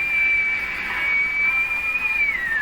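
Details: Hallicrafters S-40A shortwave receiver during alignment, BFO that would not zero beat: steady high whistle near two kilohertz sliding lower as dial moves; beat oscillator heterodyne, pitch shifting with band switch flexing, switch then cleaned.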